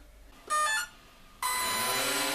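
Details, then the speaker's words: RC model on a tiny 1S LiPo, throttle opened past half: short electronic beep then motors whir up as current draw sags the battery, receiver shuts down and reboots; receiver brownout from battery voltage sag. "When I opened the throttle, the current drain was such with that tiny little battery that the receiver just shut down and the whole thing rebooted, as you can see in this little clip"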